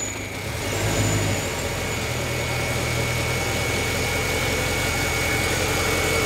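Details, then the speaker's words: Mercedes C63 with 57,000-mile used engine, cold idle just after start; quiet even idle with faint whine, slight settling, running a little rich; fan on from air conditioning; normal cold idle. "These things sound so good. It's running a little rich right now. It's a cold start."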